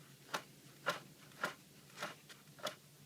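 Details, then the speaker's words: BMW E65/E66 water pump turned by hand with the belt off: dry, gritty scrapes about twice a second, each a rough grating pass, with a slight wobble. Early-stage worn water pump bearing causing the squeak heard while running. "that's it guys that's what's causing that little squeak"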